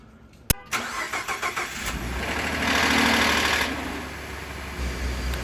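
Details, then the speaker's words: 2013 Ford F150 FX4 on a cold morning remote start: a sharp click, brief cranking, then the engine catches with a loud hissing whirr before settling to idle; owner seeks the cause of the weird noise. "every morning when i start my truck it makes this like weird noise and i'll show you what i mean right now"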